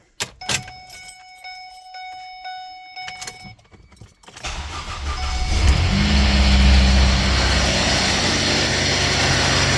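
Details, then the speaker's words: 2008 Ford Escape started after a key chime: a loud, harsh grinding rumble rides over the idle from an idler pulley whose bearing is completely gone after running like this a while; belt, pulleys and tensioner get replaced. "bad noise because the bearing so as you hear the bearing in this pulley is completely gone because it's been running like this for a while"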